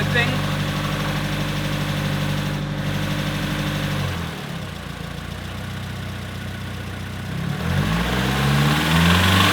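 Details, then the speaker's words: Nissan 240SX S14 SR20DET petrol engine idling and revving with a fast metallic rattle that persists after replacing the timing chain tensioner with a manual one; cause unknown, owner suspects something internal. "No, man, I don't know what it is, but there's still a noise, Jesus. Usually I end a video with progress being made, but today the old SR curse is back again. I'm really at a loss as to what the rattle is now."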